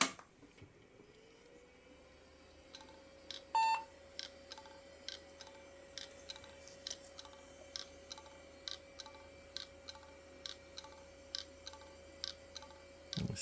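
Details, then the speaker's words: Hard drive from an IBM/Cyrix Socket 7 Windows 98 PC, held close to the camera after the table-whacking trick: spins up to a steady whir, then a click-chug about every two-thirds of a second that never settles. The drive is dead. "doing the Chug KN okay that is dead"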